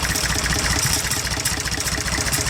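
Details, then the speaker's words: IH 484 mechanical diesel tractor at idle, air filter removed, injector line to cylinder 1 cracked to find a miss. Busy clatter barely changes, unlike cylinders 2 and 3, pointing to a dead number 1 cylinder. "Number 1, it's starting to make more of a difference the longer it runs, but it's not much of one."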